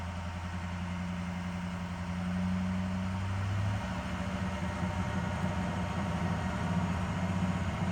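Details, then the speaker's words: 2006 Ford F350 6.0 Powerstroke diesel, rough running despite new injectors, filters and sensors; throttle held, pitch wanders up and down, fast-idle rpm fluctuation around 3300–3500 rpm; owner suspects aftermarket cam/crank sensors or throttle pedal. "there's that idol oh well fast idle rpm fluctuation [Music] only this time it's somewhere near 33 to 3500 rpm"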